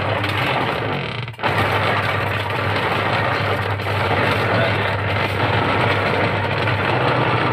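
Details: Sharp manual top-load washing machine running while agitating: loud, coarse, continuous grinding churn, blamed on a worn pulsator and gearbox, both to be replaced.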